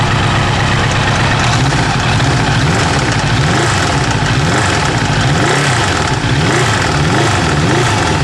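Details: Kawasaki GPZ900R with busy, harsh idle and coarse hammering clatter over the engine note; stutters above 3000 rpm; mechanical hammering noise, cause unknown.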